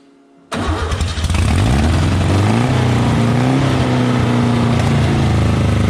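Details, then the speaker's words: Volkswagen Beetle-based Model T kit car sitting 30 years, no carburetor fitted and started with help: catches after a brief crank, then a loud, uneven, wavering beat hunting up and down; it won't idle right until a carburetor is fitted. "it's not gonna idle right till we get a carbureted on it but we will be at least able to hear it run"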